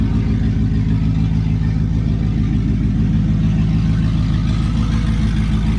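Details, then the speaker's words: Nissan Patrol with LS1 V8 swap, just started in freezing weather after sitting a while and backfiring: deep, steady idle with slight cam lope, firing evenly with no misses or clatter; normal cold start idle, running pretty smooth. "Idling pretty smooth. So it's got a cold start idle obviously"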